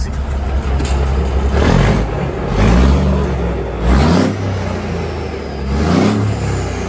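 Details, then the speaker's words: Peterbilt 362 cabover diesel after sitting four weeks in the cold, running on fresh fuel pumped into the other tank: heavy rumble through light revs, even and without misses, running smoother and a little quieter than before. "But I think runs smoother and a little bit more quiet."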